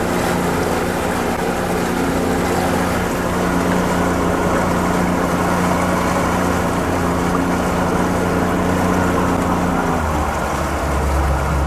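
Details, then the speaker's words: Oil-injected two-stroke outboard on Lake Washington; steady, even two-stroke drone with water and wind noise and no misses or knocks, running healthy. "Motor sounds good. Idling nice."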